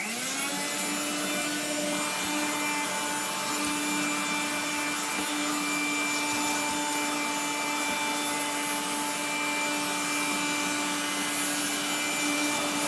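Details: 1970s blue Regina Electrikbroom 3-speed vacuum vacuuming a floor: a steady motor whine with a gritty, scraping hiss throughout, from motor bearings gone dry after someone washed the motor, especially the fan.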